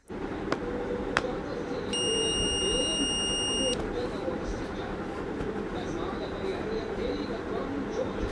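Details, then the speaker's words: Multimeter in continuity mode probing the commutator segments of a 775 DC motor (11.8 V) with a worn carbon brush: one steady high beep for nearly two seconds, so the armature windings are intact and none is open. "তো আপনারা এখানে যে আমি armature গুলো check করলাম এই আর্মেচারগুলো check করার ক্ষেত্রে কিন্তু আপনারা সবাই সাউন্ডটা শুনতে পেলেন। অর্থাৎ বোঝা যাচ্ছে যে এখানেও কিন্তু কোন জায়গায় মানে কানেকশন বিচ্ছিন্ন নেই।"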